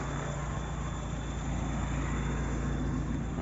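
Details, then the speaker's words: Peugeot Partner with TU5JP4 1.6 16v petrol engine, 110 hp, unmodified, after 70,000 km on 100% E85 ethanol. Revs pick up smoothly with an even, steady note and no knocks or misses. Only a slight power loss; normal revving. "donc il prend bien ces tours donc c'est pour ça sur ce petit moteur c'est vrai que je suis relativement impressionné parce que il supporte très bien l'éthanol"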